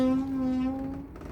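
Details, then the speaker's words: Lexmoto LXR 125 SE motorcycle pushed by hand: low, steady moaning from the rear brake only when rolling backwards, silent forwards, before caliper maintenance. "you probably heard in the last video me talking about and actually heard the noise this rear brake makes when I roll the bike backwards."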